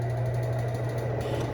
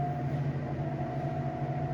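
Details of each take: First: Two-year-old BLACK+DECKER BPW30MW 3 cu ft portable washer in spin after the inner drum was removed and loose screws were tightened: steady drum drone with a faint repeating thump, quieter than before but not cured; the clutch assembly and belt were later traced as the cause. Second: BLACK+DECKER BPW30MW portable washer, about two years old, after tightening loose drum bolts and the belt, at high spin near cycle end: smooth steady drone with no thumping or knocking, then winding down. Normal spin.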